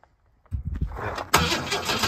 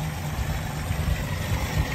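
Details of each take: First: HJ Holden wagon started after 8 years in shed, fuel pump leaking badly, on choke: a couple of cranking tries then catches, running loud and slightly lumpy at fast idle; timing not right, rough running after long storage. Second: Holden HJ wagon V8 after sitting 8 years in a shed, running again after stripped distributor gear and linkage fixed: steady even low rumble with no knocks, misses or ticks; idles smoothly and sounds healthy.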